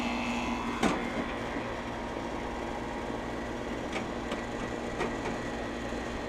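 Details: Steady fan and compressor hum with a few light clicks, no stalling or buzzing, on a vacant house's AC condenser just after a new capacitor was installed on a no-cooling call: the condenser is running normally.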